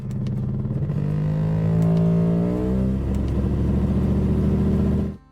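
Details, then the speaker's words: Mercedes brought in because its engine sounds like an outboard motor; buzzy, rattly throbbing note that climbs with the revs then settles; rough running, cause not stated. "And this customer came in with their Mercedes because it sounds like an outboard motor."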